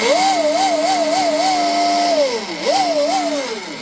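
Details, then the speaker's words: Pro Boat Veles 29 with Castle Cobra ESC, upgraded stuffing tube, Speedmaster 21 strut and .187 flex cable, dry metal-on-metal drive line; smooth whine rising and falling with throttle blips, slightly loud but normal, no cable whip or vibration; tube gets warm, not hot. "So, actually sounds pretty good. Little loud. Little loud. Cuz this is metal on metal, right? If it was a teflon liner, it would be quieter. This is normal. It's normal. No cable whip, no vibration."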